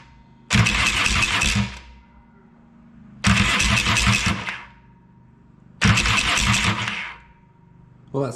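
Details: Yamaha XS650 after grinding-starter fix (starter gears behind clutch refitted with washer and circlip; weak friction clip suspected): three short even cranking bursts, smooth whirr without grinding or clashing; starter engages cleanly.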